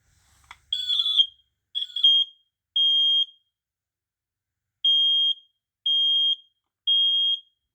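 Loud high-pitched beeps about half a second long, roughly one per second after a few shorter chirps: the test tone working.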